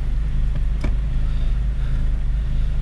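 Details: 2002 Honda Civic EP3 Si hatchback after cleaning the IAC valve for a surging idle, no check engine light: low steady idle rumble holding even speed without hunting or surging; normal idle.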